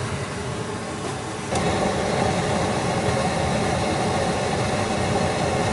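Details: New Ruud 80+ gas furnace running after startup, supply about 132°F, about 60° temperature split, gas pressure slightly high to lower oxygen, not overfired: steady, even roar from burner and blower with slight lift as it settles, no rattles or surges; normal.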